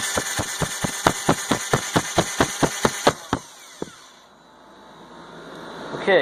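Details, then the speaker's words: 1985 Harley Sportster, cranked on a boosted battery because of a starter problem, during clutch disassembly. Sharp, even cranking pulses at about two per second; the engine turns over freely. "that's a successful try what's having problem with the starter so I had to put it up on boost"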